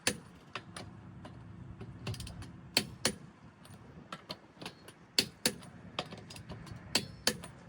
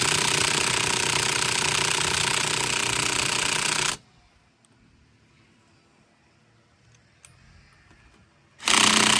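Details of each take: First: Torque wrench set to about 100 ft-lb on a car's wheel lug nuts during a tire rotation: sharp separate metallic clicks about once a second as it breaks over at set torque, meaning the nuts are tight. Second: Car tire rotation, cold day: cordless impact wrench on a lug nut gives rapid, even hammering about four blows a second, then stops; it sounds weak and won't loosen the nut, owner suspects a dead battery.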